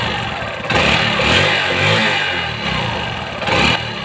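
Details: Motorcycle after fixing slow-speed exhaust knocking: revs up and settles in short pulls with a clean, even exhaust note and no knock at low speed; running normally.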